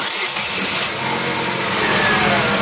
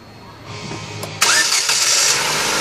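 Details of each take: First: 2011 Chevrolet Aveo with the check engine light on and slightly higher fuel consumption: the engine turns over with a hissy whirring crank but doesn't catch. The camshaft position (CMP) sensor is damaged, and an LED test lamp on its signal line shows no flashes. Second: 2011 Chevrolet Aveo after replacing the faulty camshaft position sensor: a short crank, then it catches at once and settles into a steady, even run. A clean, normal start.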